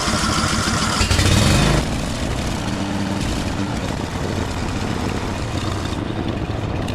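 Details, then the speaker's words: Cub Cadet mower after new coil and gasket, choke on, cover and air filter off: loud, lumpy running with irregular pops through the steady beat; still runs rough and backfires, more adjustment suspected. "Seems to be running a little bit better, but there's still something I might have to adjust on it. At least it's from it still popping."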